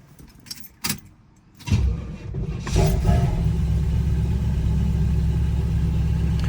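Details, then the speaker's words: Car cranks, catches and settles into a low, even idle with no misses, knocks or ticks; a very smooth-running car. "very smooth running car"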